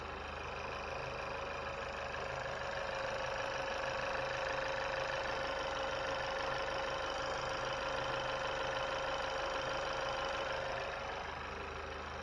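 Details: 2020 Chevy Malibu 1.5 turbo, first start-up after vacuum pump replacement and oil and coolant refill: smooth, even idle with a steady hum and light regular injector tick, no misses or knocks, no fuel leaks, injectors fine; healthy.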